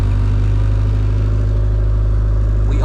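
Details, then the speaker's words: JDM Honda Civic EF2 with B18C Type R swap, converted to EFI on an OBD1 harness, no cooling fitted, just started: deep, even four-cylinder idle with steady pulse, no stumbles or ticks; starts easily and idles healthily. "It turned on so easily. And it sounds so good."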